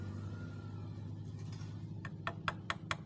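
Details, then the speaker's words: Yamaha Vega ZR engine stripped, with head and magneto cover removed: connecting rod pulled forward and rapped by hand gives sharp metallic clacks about every quarter second; worn big-end play, very loud when running. "Nah, kedengaran teman-teman kan ada suara truk. Nah, itu berarti stang sernya udah kena juga."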